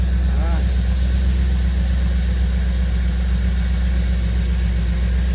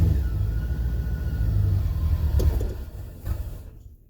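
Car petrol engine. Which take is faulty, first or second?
second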